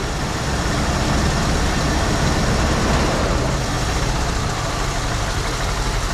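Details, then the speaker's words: 1974 Ford Bronco V8, first start in over 16 years after fuel system work; little knock, oil pressure came right up; loping uneven idle slowly steadying, owner suspects not running on all 8. "Doesn't sound too bad. Had a little knock, but oil pressure came right up. Not running on all 8."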